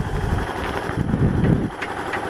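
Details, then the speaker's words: Kawasaki KLF300 quad's single-cylinder engine at a low, fairly steady idle just adjusted, with wind on the mic; it runs clean with no backfiring now that the keyway fault is fixed. "Alright, got to adjust the idle. That's good there, for now."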